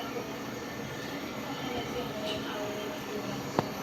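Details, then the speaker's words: Carrier window-type AC with E1 error, after the faulty board was fixed; compressor starts last by design after the fan, condenser now hot; steady, even running hum, no knocking or rattling; compressor running normally. "Yan guys, rinig niyo yung ingay ng compressor. Okay na. Success."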